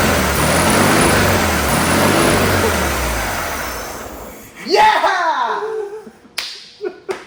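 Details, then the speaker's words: 1972 VW Super Beetle air-cooled flat-four, first start after sitting 30 years: catches and runs rough but steady for a few seconds, then dies off. It fires right up and sounds good, with little blown from the exhaust. "Fires right up. I know, it sounds good too, it doesn't, Yeah."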